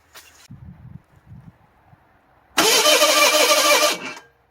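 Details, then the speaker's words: 1985 Ford Bronco II 2.8L with fire-burnt engine wiring and Duraspark conversion, no timing tab; weak cranking bursts then fires and roars about a second before dying, owner suspects ignition timing is off, adjusting advance. "whatever she tried to start um timing's off I don't know where it is but okay"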